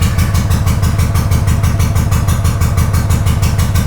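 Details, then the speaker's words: Honda GL500 V-twin cafe racer project, first start in over a decade after wiring loom work, choke used, old oil: even lumpy idle about three beats a second, no misfire or clatter; healthy idle. "That bike is not started in over a decade. So I don't know if you can hear me, but that right there, that's amazing. This bike has not started in a long time."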